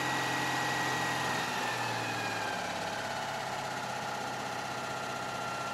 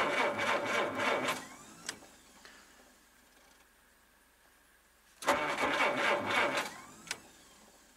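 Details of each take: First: seems to be running smoothly now Second: Old car in snow, cold, fired once then cranked repeatedly with pumping: fast steady cranking bursts with silent gaps, never catches; owner blames cold, fears flooding it and running the battery down; cranks but won't start.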